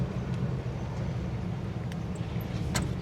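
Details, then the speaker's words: Classic Mopar Plymouth Barracuda convertible from a Copart auction, V8 with a single-barrel carburetor, rolling slowly. A low, even burble over light road noise with no misses or knocks: the engine runs well. "Boy, she runs good."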